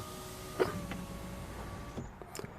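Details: 2004 Peugeot 307 after repairing the electric window switch whose automatic (second click) position failed: steady, even motor whine about two seconds ending in a soft stop; window goes up on auto normally.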